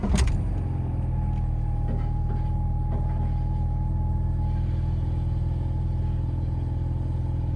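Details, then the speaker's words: Alfa Romeo GTV after rebuilt fuel pump swap, first start: steady, even low idle rumble with faint constant high fuel pump whine, no misses; normal idle. "okay it's quiet now i can hear it running it's quite high pitched it's uh that was a good start though that run well"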